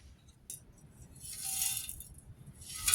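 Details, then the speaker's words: Old Coleman three-burner camp stove (426D) being shaken: loose, gritty rattling in short bursts, a dry sandy shuffle from rust flakes inside the fuel tank; grit was also found on the pump's leather cup. "yeah you can hear the rust in there can't you pretty bad"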